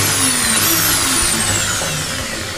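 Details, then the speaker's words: Bosch GSB 501 drill on a bench test before repair: it runs with a loud, rough, hissy whirr and no clean motor note, and the chuck shows play; worn spindle needle bearing, to be replaced. "Okay यहां पे घूम रहा है लेकिन यहां पे थोड़ा play हो रहा है यहां पर देखिए और यह बहुत जोर से आवाज़ करते हैं की आवाज़ कर रहा है मतलब प्ले हो रहा है"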